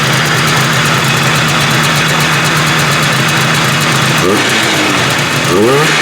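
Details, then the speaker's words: 1978 Arctic Cat Jag 340 two-stroke snowmobile after rebuild for low compression on one cylinder, rear lifted: crisp even buzz firing on both cylinders, revving cleanly; running healthy, carbs still need adjusting. "yeah and she sounds good she's ripping on two cylinders we got to adjust the carbs that are in a little bit but uh I think she going to dangle"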